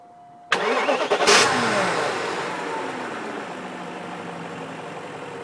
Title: Weird Engine Sound